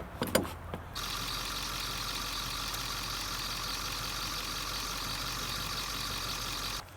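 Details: 2001 Ford F-350 at idle: constant high-pitched squeal rides over the engine without letting up after the serpentine belt was rerouted; owner still hunting the source (water pump suspected), belt slipping.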